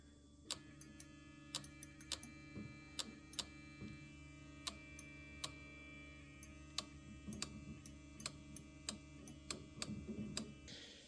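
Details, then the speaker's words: RB20 after rebuild, not yet running, with cam half-moon piece broken off: sharp, uneven dry ticks over a quiet hum as the engine is spun, coil packs and injectors firing, seemingly only the first two. "But I'm just kind of seeing if this works spinning this. And you can hear them. You can hear the coil packs and the injectors firing if you listen closely."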